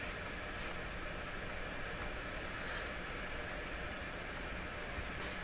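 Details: Dominion Electrohome TR50 console receiver on FM with no antenna, AM and FM both dead: a steady, even hiss across the band with no station audio, pointing to a dead FM front end or tuner.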